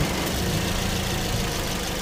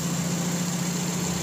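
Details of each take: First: Car AC compressor engaged at idle: an uneven, scraping rumble as the clutch slips and catches without the proper engagement clack. The clutch plate is cracked and broken with no air gap; clutch, pulley and belt are being replaced. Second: Car AC compressor after replacing the cracked clutch and pulley, air gap set with an extra washer: even, smooth idle with a steady low hum and no scraping or chatter as the clutch engages and stops; normal clutch operation.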